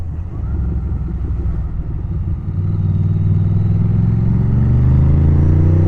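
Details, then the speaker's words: Ducati Monster S4 on its first test ride after the work done on it: deep, even V-twin thump climbing smoothly in pitch as the bike pulls, no knocks or misses; a healthy, great-sounding engine. "I mean listen to that thing is there has ever been a sexier sound it's it's such a nice nice sounding bike beautiful"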